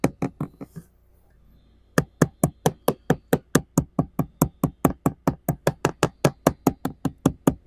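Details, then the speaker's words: 1969 Iroquois Mk2 catamaran fiberglass deck, port side bow balsa core: regular hand taps a bit over two a second give a dull hollow knock; delaminated core. "if it's dry and it's delaminated it'll sound hollow because there's going to be air in between the laminate and this outer skin of fiberglass"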